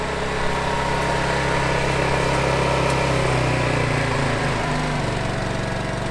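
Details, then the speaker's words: Honda EU2200i dual-fuel inverter generator on truck camper, warmed up, charging batteries, switched to eco mode: engine drops to low steady hum with fan whir, running only as fast as the load needs; normal eco idle. "So now it's only gonna run as fast as it needs to keep the load running."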